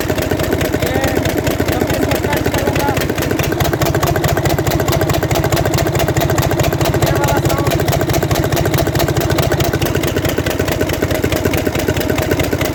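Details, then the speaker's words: 2009 Mercedes Actros six-cylinder diesel at idle: sharp regular cracking knock about 140 per minute from a seized rocker roller bearing on cylinder three; noise stops when that rocker is removed. "जब इसका answer खोला तो उसमें एक पटाखे की आवाज की बहुत ज्यादा नंबर तीन में जब मैं इसकी यह वायरल ऊपर से तुम्हे लगता था तो इधर पटाखे की आवाज है और जब यह निकाल देता था तो आवाज खत्म हो जाती है"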